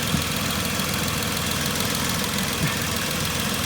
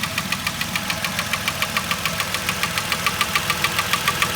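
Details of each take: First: 2010 Vauxhall Corsa 1.0 Ecoflex three-cylinder at idle, after the swirl flap vacuum pipe is pulled off: steady, even idle with a smooth hum, the rattle from worn inlet manifold swirl flaps completely gone; quiet and healthy. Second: 2010 Vauxhall Corsa 1.0 Ecoflex replacement engine revved: sharp, regular tapping at about 207 per minute that sounds like engine knock but comes from worn inlet manifold swirl flaps.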